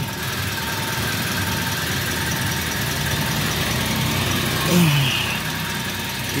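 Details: Manual car after a flood crossing in second gear at 2000 rpm, checked from underneath: idles with a smooth, steady low hum and an even fan-belt whir without knocks or squeals. Belt rotation is normal and there are no oil leaks. Owner still suspects a wet clutch. Normal idle.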